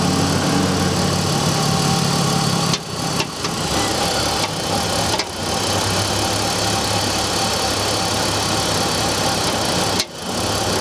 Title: BMW e46 m54 knocking sound cold engine